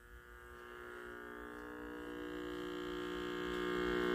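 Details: 1947 W.T. Grant AM table radio powered up on a variac from about 40 volts: a steady, deep mains hum swells as the voltage rises, caused by dried-out, failing filter capacitors that need replacing.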